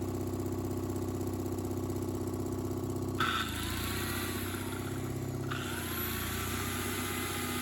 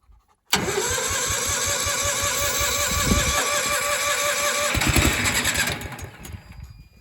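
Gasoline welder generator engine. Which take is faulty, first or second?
second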